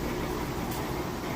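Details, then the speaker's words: Maytag Centennial top-load washer in the rinse cycle: steady, even rushing hum of a fast spin with no thumps, knocks or wobble; a balanced load and a healthy washer. "Nice balanced load. No weird noises or anything like that. And then there again, you saw that it's spinning nice and fast, balanced on the inside."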